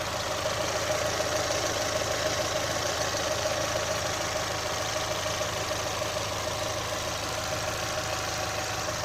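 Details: 2018 Chevrolet Onix LT 1.0, bought under 3 months ago, light quick ticking over smooth idle with faint steady whine; abnormal noise, owner links it to GM's quiet intake valve and lock replacement, unconfirmed.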